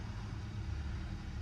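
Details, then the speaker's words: Copart auction Hyundai jump-started on a hot day of almost 90°F; it started right up and settles into a low, steady, even idle with no knocks or misses, and the engine runs smoothly despite airbag, ABS and traction lights being on. "Engine feels very smooth."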